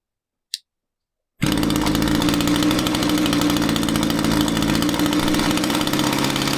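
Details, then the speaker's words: Echo two-stroke string trimmer powerhead: buzzes at high speed but note wavers and stumbles; loosening the fuel cap made it want to die out, tank vent suspected but not confirmed. "You loosen the fuel cap and the machine wanted to die out. That's not a common thing, and a lot of you might be thinking it's the tank vent."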